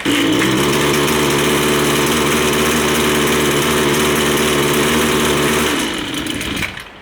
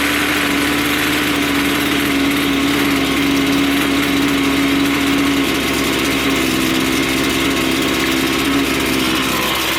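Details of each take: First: Line trimmer with low-speed (L) mixture screw out of adjustment, before turning it clockwise: rough buzz on partial throttle, blowing a little smoke, then sags and dies; stalls unless throttle held. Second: Two-stroke line trimmer after carburetor low-speed adjustment, with the screw backed off until the head stopped spinning at idle; it holds a steady, even idle with no hunting or bogging and runs smoothly.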